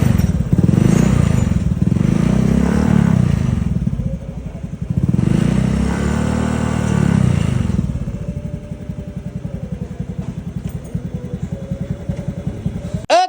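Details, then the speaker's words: Honda Vario 110cc scooter before 54.5 mm bore-up to 130cc: low engine rumble rising and falling with throttle over a fast dry ticking clatter; cam chain loose from age and standard cam chain tensioner sunk, causing rattling noise, chain needs replacing. "Terus untuk rantai ketengnya juga udah kendor karena kemakan usia yang bikin suara mesin ngericik ya guys ya."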